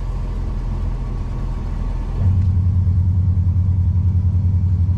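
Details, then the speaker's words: Power Acoustik 600W 8-inch powered subwoofer in a car: on engine start, a loud low pulsing drone of about three beats a second fills the sub. Excessive alternator whine, suspected from RCA cables near power and ground leads; not confirmed. "that's a lot of alternator now that can usually be chocked up to your RCA's being way too close to your power leads but um that's very excessive"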